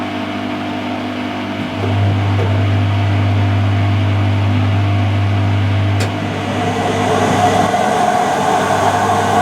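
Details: Mid-1990s Whirlpool AWG324 super slim washer (4kg, 600 spin): steady low drone during the run, then a rougher, hissier rumble takes over, with knocking and heat noted; drum bearings worn out.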